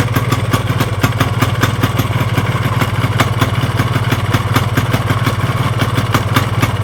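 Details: Yamaha RX-King two-stroke motorcycle at steady idle with a hard clatter about 2.5 times a second and vibration. Crankshaft play found side-to-side and fore-aft; worn crankshaft, connecting rod and piston are given as the cause.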